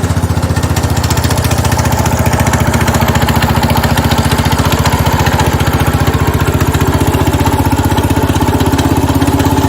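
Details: 1970 Cub Cadet 127 garden tractor single-cylinder engine after head gasket replacement, restarted, steady even idle thump, regular pulses, no misses or knocking; normal healthy idle, runs pretty good.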